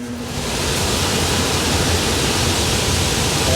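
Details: Indoor AC blower running after a failed, swollen capacitor was replaced while the frozen coil defrosts: a steady airflow rush with no knock or squeal; fan motor replacement still recommended.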